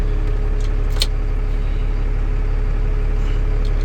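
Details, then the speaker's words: Ford F650 box truck diesel keeps idling with the key turned off: steady low chug about two beats a second that doesn't die; owner suspects the ignition switch or, most commonly, the starter solenoid; unconfirmed. "what it could be of course can be the stain the switch the sweeter right here on the key but the most common cause of this that's one thing called starter solenoid silhouette start"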